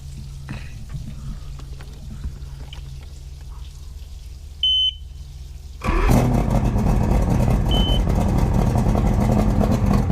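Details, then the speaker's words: 1999 Johnson 200 HP carbureted outboard on a bass boat, about 70°F, restarted after initial cold-start run: brief beep, motor catches instantly and settles into steady even run without hesitation; normal warm restart. "i've turned the motor off and i just wanted to turn the switch one more time you know after that initial run to show you that it'll fire right back up"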